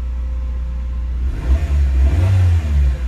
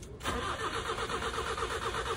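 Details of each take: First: Carbureted GA13 Nissan B13 warming up after its no-start was fixed by rewiring the radiator fans back to the automatic switch: engine revs cleanly to a smooth peak for about two seconds and settles back to a steady, even idle; RPM described as fine. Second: Nissan B13 with carbureted GA13 engine cranking steadily at about five turns a second without firing, after the radiator fan wiring was found wired directly to the ignition; no spark, crank no start.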